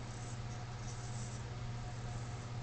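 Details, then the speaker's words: Slim line ceiling fan in basement, coil previously replaced, fan-only setting: steady low motor hum with faint thin squeak as it turns; owner suspects dirty bearings. "sounds like the bearings might be a little dirty in this guy"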